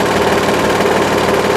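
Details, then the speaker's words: Hydraulic trailer lift, damaged by a stone wedged in the mechanism: steady strained groan with fast chattering buzz while rising under load; binding lift, likely needs parts cut off and redone. "something not right. You can hear that. Yeah, I think I'm going to end up having to cut these things off and redoing."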